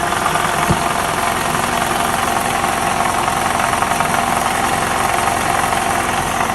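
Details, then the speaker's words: 2012 Toyota Camry 50 2.5, about 150,000 km, warmed to operating temperature and held in Drive on the brake: a steady droning hum with a faint rough growl from the balance shafts. "обучайте такой звук издают балансировочные валы поэтому если вы у себя услышите такой звук вы его узнаете"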